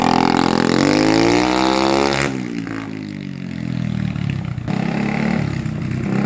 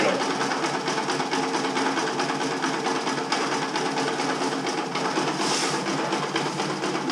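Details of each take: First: 1980 Honda XL250S after the fix of fresh fuel, which had previously stopped it revving above 2000 rpm: it accelerates cleanly with pitch climbing smoothly into an even beat and no misses. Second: 1980 Honda XL250S single on stale fuel, choked, before the fix: thumps along at a ragged, uneven idle about eight seconds, then sags and cuts out. It would not idle or rev above about 2,000 rpm. Stalling from stale fuel.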